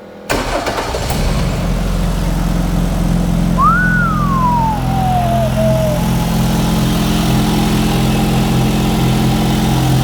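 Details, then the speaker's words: Ford Mk2 Escort custom restoration fitted with a five-cylinder Galaxy engine, first start after much cranking (possibly flooded), noisy fuel pump: brief crank, catches at once, settles into steady even idle; running a bit rich, smoking from exhaust paint. "Okay, it actually sounds all right for a Galaxy engine. Yeah, it's running a bit rich."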